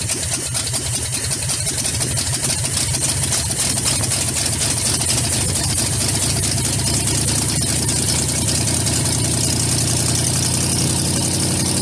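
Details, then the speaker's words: Loud open-exhaust V8 pickup, from a 2011 Ram 1500 and 1975 Ford F-150 pair, just after adding transmission fluid: fast, ragged idle that never settles with idle kicked up; owner suspects a vacuum leak. "Okay, we definitely got a vacuum leak someplace. All right, I think we got to the point where it's not really idling."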